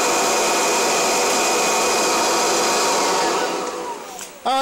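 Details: Kirby Generation 4 (1995) or G10 Sentria (2011) upright vacuum: a constant high-pitched motor roar with a faint steady tone, winding down at the end; normal running.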